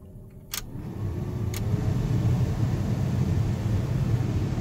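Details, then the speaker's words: 1st gen Cummins truck after replacing the 30-year-old heater blower motor: steady low whoosh spins up within a second and holds even, no squeal or rattle; blowing better than ever, normal blower operation. "That's uh that's blown better than it ever has. Okay, that thing works uh amazing. Way better than it ever has."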